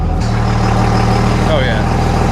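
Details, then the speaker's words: 2000 Dodge Ram 3500 dually, 5.9L 24V Cummins mechanical injection with new injectors, battery charged after sitting broken down: deep, even diesel rumble, steady beat, no knocks or misses; healthy normal cold idle. "And release the beast. Yeah. Now we're talking. Yeah, boy."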